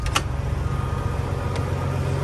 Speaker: But yeah, you can hear how smooth the dang thing runs.